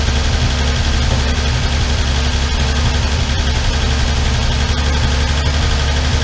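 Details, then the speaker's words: Armstrong Siddeley Star Sapphire special, hemispherical head, cold on choke just after first start in probably over 40 years: steady low idle with faint, light top-end ticking. All tappets a bit loose and need resetting. "And um reset all the tappets. They're all a bit loose."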